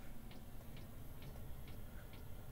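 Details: Diesel air heater installed in an ambulance camper conversion, with initially empty fuel lines: light, steady ticking about twice a second over a low hum as the fuel pump primes before combustion starts; normal.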